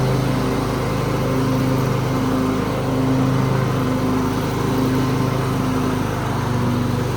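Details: 2003 Craftsman (AYP) DYT4000 hydro riding tractor with electric PTO and 48-inch deck: small twin runs at a steady even drone with only a gentle rise and fall in level; healthy and settled.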